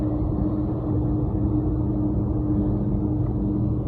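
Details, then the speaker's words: Carrier HVAC unit that kept blowing fuses, after replacing the faulty fused disconnect with a non-fused one; steady low even hum, no knocks or rattles; phase rotation correct, compressor and blower running normally. "so our phase rotation is correct plus the compressor sounds good"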